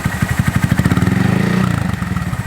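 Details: Honda Monkey with a Yoshimura SA-18-K low-volume spark arrestor insert, warmed up: crisp, even firing pulses climbing smoothly through light blips and settling back, muffled and mellow. Healthy and quieter than the previous insert.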